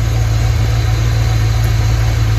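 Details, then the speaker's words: Ford Fox Body first start after about 2.5 years sitting, on a battery charger: deep, even idle with steady low rumble, no misses, knocks or ticks; running smooth, normal idle. "Idling smooth too. Wow."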